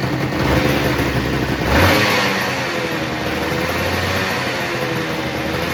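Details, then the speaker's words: Crashed Honda NSR250 two-stroke, first start in over five years, run on a dummy tank: a quick blip of revs, then a fast, crackly tickover that holds steady without stalling. Normal idle. "got it ticking over pretty nice"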